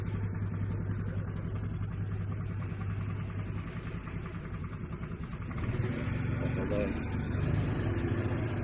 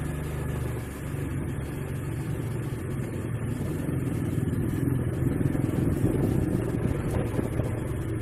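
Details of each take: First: Honda Vario CBS scooter after a CVT repair for noise under throttle, with the clutch linings and roller housing reworked: steady idle, then clean revving with even response and no rattle or grind from the belt drive, normal CVT running. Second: Honda Vario CBS scooter, complaint of noise when throttled: engine revving with an uneven clacking from the CVT belt-drive side as throttle opens, quieter when not riding; worn clutch linings and roller slider.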